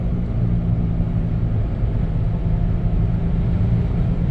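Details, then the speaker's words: 1997 Dodge Caravan LE at about 55–60 mph: a steady low drone under the road rumble, with no knocks. It has grown progressively worse. The tires were checked for cupping, and the owner is fairly sure it is a front wheel bearing. "but if you listen got a front wheel bearing noise I'm pretty sure I know which one it is"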